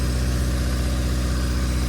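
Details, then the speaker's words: Built Honda D16Y8 in an EG Civic, first run after rebuild, ACL bearings, 10W-40, timing set, idling without coolant: steady even low rumble with no knock or tick, smooth healthy idle. "But so far, I think it's working great."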